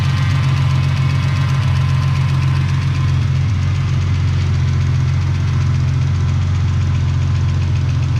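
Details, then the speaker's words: Ford AU engine's first start after the harmonic balancer went on, before the reseal and new water pump: deep, steady idle with an even low rumble and no knocks or misses, sounding all right and healthy. "sounds all right sounds like an engine number one damn good"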